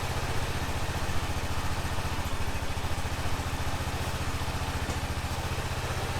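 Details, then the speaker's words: 2005 Honda TRX650 Rincon, 650cc single-cylinder four-stroke, on choke in neutral after a no-run condition: steady, even low thumping at a settled idle, no knocks or misses; runs smoothly while warming up. "everything looks normal in neutral oh sounds pretty good huh need to let it warm up"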